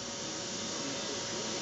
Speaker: you can hear the sound that it's making it's got a Digital Data noise